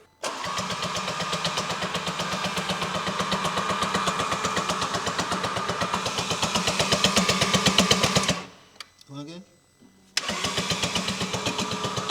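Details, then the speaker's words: Audi RS3 8V, 2.5 L five-cylinder DAZA engine, turbo missing, reported mechanical issues: starter spins engine fast and even, about four beats a second, no compression load, won't fire; suspected valve damage; no-compression cranking, no start. "again stop right looks like we got no start"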